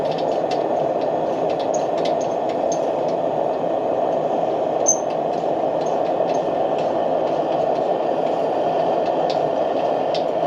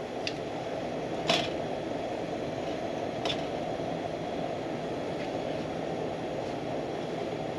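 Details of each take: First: Military pressure lantern, lit and with the mantle filled out and valve opened: even, steady hissing roar with no sputter or pulsing, burner running cleanly at full pressure. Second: Military pressure lantern, not lit for several months, overfueled before lighting: steady rushing roar with a few sharp pops and spits as it warms up.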